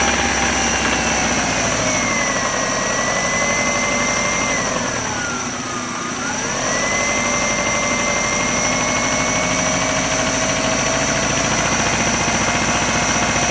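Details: 1999 Subaru Outback 2.5L, 150,000 miles; revving up, dipping and climbing with a dull knock in mid-range, hard knock only between 2k-3k rpm, gradually louder; rod knock suspected, unconfirmed.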